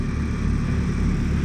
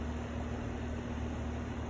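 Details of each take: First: Carrier heat pump in heat mode, outdoor unit heavily frosted with four thick bands of ice, shaking hard: constant heavy low rumble with an uneven pulsing shudder; unit shaking badly while frosted. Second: Brand-new outdoor HVAC unit running: steady low hum with soft fan rush, even and free of rattles or squeals; normal, well-functioning outdoor unit.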